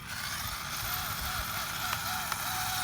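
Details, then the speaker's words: Traxxas Slash 2WD VXL RC truck while bashing: motor whir broken by repeated scraping clicks and skipping chirps under throttle; something stripped, most likely the pinion, possibly the spur gear or differential. "Something stripped, guys. She's done. It's most likely the pinion gear, it could be the spur, it could be the differential could have given, who knows."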